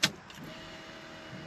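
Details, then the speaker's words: 1968 Dodge Dart 340 with A727 TorqueFlite, cold start after sitting overnight, key on: sharp click, then a faint steady electric buzz from the brake vacuum pump, running normally, not a fuel pump. "You hear that buzzing sound? That's not an electric fuel pump. That's the uh lead brakes vacuum pump."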